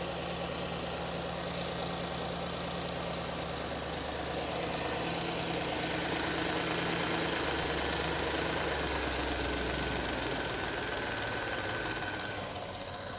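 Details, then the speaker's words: Porsche Cayenne idling after belt tensioner replacement and retightening loose water pump pulley bolts: steady, even idle with no squeal or chirp; auxiliary belt screech fixed, belt drive quiet and healthy. "That sounds good. Well, hopefully you can hear that. No noise."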